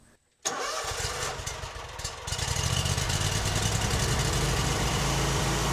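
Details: Lawn mower with an intermittent fault, after fuel pump replacement: a small engine fires quickly after a brief crank and settles into a steady, even thrum; it then mowed 40 minutes without missing a beat.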